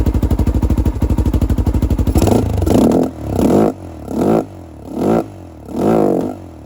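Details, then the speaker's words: 2007 Honda 400EX, reassembled, choke off: steady single-cylinder idle, then each blip swells slowly and sags instead of snapping up; no longer dies but still bogs, running too rich with an oversized main jet. "but yeah when I give it gas again it's not dying like it was before but it still kind of has that fog"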